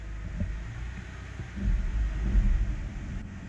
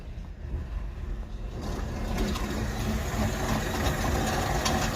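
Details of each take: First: 2007 BMW E60 525i, 65,000 miles, after repair of hum then loss of drive: put in D, low smooth rumble with no clunks, whine or grinding; normal running in drive. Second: 2007 BMW E60 525i, 65,000 miles, in drive: rough churning drone under the car. The owner heard humming, then it wouldn't drive; the driveshaft spins but the car doesn't move. Failed rear differential.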